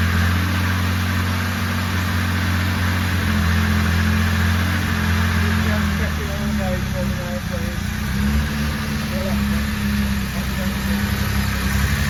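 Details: Jaguar E-Type Series 2 first start after complete rebuild, oil and coolant topped up: steady even low note holding a fast choke idle, no knocks or misfires; smooth healthy engine.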